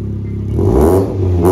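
Short hard rev bursts rising and falling cleanly, exhaust sounding solid with no rattles or leaks, a healthy engine at high revs.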